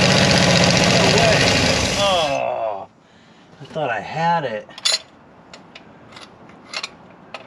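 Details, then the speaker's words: Mopar 360 LA V8 from a 1975 Dodge motorhome abandoned an estimated 25+ years, previously locked up, kept alive with a fuel bottle and a stuck throttle butterfly: runs roughly about two seconds then dies abruptly; won't stay running on its own fuel. "it does not want to stay running it's own wish I could get that butterf loose up oh there it goes a little bit"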